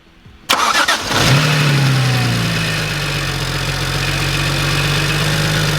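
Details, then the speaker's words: BMW 1M salvage rebuild after a new radiator support, intercooler refit and coolant flush, on its first warm-up: the starter whirs briefly, then the engine catches cleanly into a steady, even idle with no knocks. Normal start and idle. "Well, yeah, let it run. Let it warm up. This is the first time we're actually gonna let it warm up."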